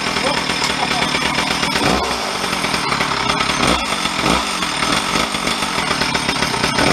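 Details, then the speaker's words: Stihl 034 chainsaw, parked 10–15 years, reassembled with bar and chain: idles and revs cleanly with crisp, even firing and a rising snarl on throttle. Starts well with good compression; the suspected crank seal or vacuum leak is not evident. "starts good the compressions come right up too"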